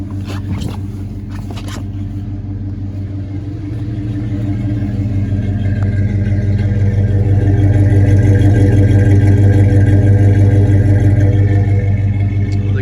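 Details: 1986 GMC Sierra Classic 2WD short bed square body, cold start after sitting on a cold day (needs pumping a few times when cold): steady even rumble settling and firming up, no knocks or misses; runs well.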